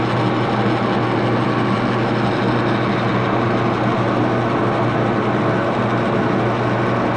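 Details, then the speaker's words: Axelson lathe after tightening rear Timken spindle bearing pair, run at very slow speed: steady, even hum with a low drone and no knocking, grinding or whine; spindle turns smoothly. "I'm going to start the lathe and run it and I'm going to start it on a very slow speed"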